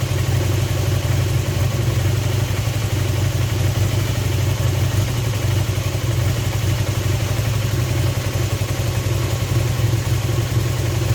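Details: Honda CB250N twin on stand with vacuum gauges on both carbs, left needle moving further: low steady idle with slightly uneven beat; carburettors suspected out of balance, needing synchronising.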